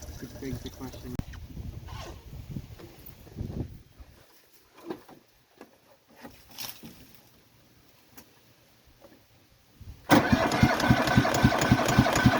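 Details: Cub Cadet Series 2000 riding mower, cold start after sitting eight months with little fuel, tried at half throttle: long stretch of faint failed attempts, then the engine suddenly catches and settles into a quick, even idle; hard starting.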